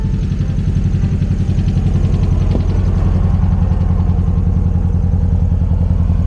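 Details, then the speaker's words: 1969 VW dune buggy, sold as a 1776cc, just back on the road after repairs. A low, lumpy idle at about three pulses a second, with one cylinder sounding dead and imperfect; still some smoke. It runs rich, the cylinder washed by oversized carburettors. "oh yeah you hear that yeah i heard it too like a dead sound like one cylinder is not perfect"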